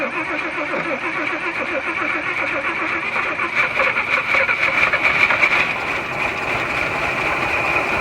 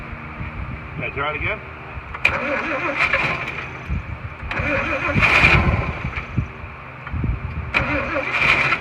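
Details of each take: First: 1941 Chevy six-cylinder on its original radiator with a new belt, running on half a carburetor with fuel poured in and roughly 40-year-old oil: fast, steady, even idle, apparently firing on all six cylinders; sounds healthy. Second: 1941 Chevy, start attempts with fuel poured in and the choke held: it catches for a second or two then dies each time, firing only on poured-in fuel, starved.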